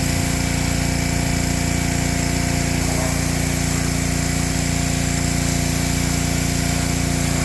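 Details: Ryobi pressure washer small engine after fixing lost compression, cylinder soaked with penetrating oil; steady, even buzz under washer load, no misses or knocks: normal running under load.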